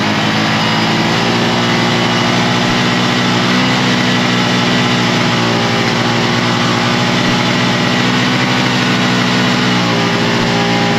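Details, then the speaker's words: 1980 Suzuki GS450 motorcycle: steady, fast, even idle with no dip. Idle speed too high because the throttle stop adjustment screw had backed out; then readjusted. "I do think that maybe just maybe our throttles a little on the high side if you can hear me"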